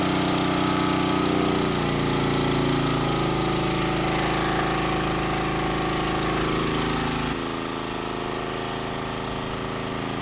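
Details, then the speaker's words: Rebuilt Champion 458cc single-cylinder generator engine on test carburetor, gasoline, under 7,000-watt load: loud even beat with speed sitting low and sagging; governor speed droop under load, though engine has plenty of power. "yeah no issues holding at 7,000 watts and the engine actually has plenty of power despite the fact that the speed is drooping so much"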